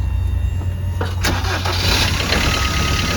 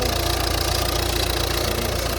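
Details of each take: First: Peugeot Bipper Tepee automatic, auction purchase with two former keepers: engine fires and idles with an uneven, rough clatter underneath on start-up, sounds ropey, cause not yet clear. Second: Volvo diesel at 96,900 miles with full service history, fully serviced at 95,000 with genuine parts. Steady, even idle clatter with no misses, knocks or surges; sounds healthy.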